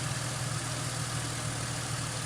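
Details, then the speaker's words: 2005 Ford Mustang, rebuilt and retimed donor engine just after first start following about 3 years sitting: steady even low rumble, idle holds flat with no stumble or tapping, no dash lights, healthy. "That is sweet, guys. You hit her idle right down. Perfect."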